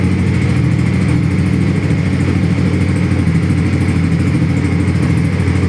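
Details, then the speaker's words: 2018 Honda CB150R with about 7,000 km, never opened for repair, oil changed at about 5,000 km: soft, even single-cylinder idle with a steady low beat and no knocks or rattles; normal idle. "นี่ครับตัวเครื่องเดินเบานิ่มๆเลยครับดูเสียงนิ่มๆเลยเรียกว่ารถเอาไปก็พร้อมใช้งานได้เลยนะ"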